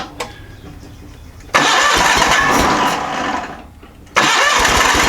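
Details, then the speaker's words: John Deere 318 garden tractor with Onan P218G engine, brought in after the PTO dropped and the tractor shut off; battery tested good and spark confirmed. Starter cranks in long even bursts but the engine never fires; crank-no-start, fuel issue suspected. "it's looking like right now we need to address a fuel issue"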